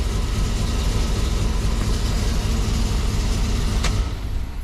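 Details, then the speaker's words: 5.3 V8 with DOD/VVT delete, new intake and plug wires, idling after flashing a tune: uneven lumpy beat, misfire; scanner showed random misfire and cylinder 6; plugs and wires checked, owner suspects the tune, cause unconfirmed. "sounds like it's misfiring though. All right, let's connect."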